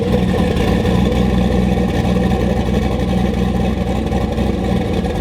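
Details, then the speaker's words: Volvo 240 wagon with swapped turbo LS, Holley ECU, cold, open downpipe: lumpy, choppy cam idle around 800 rpm with rhythmic rise and fall, otherwise smooth and even, 13–14 AFR, 47 psi oil pressure; normal idle with cam lope. "It's got way more chop than I thought it was going to for a turbo Dude, it cam. sounds fucking nasty."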